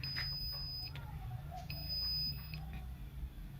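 Two clear, steady high-pitched beeps about a second long over a low room hum; normal key-press confirmation from the control panel.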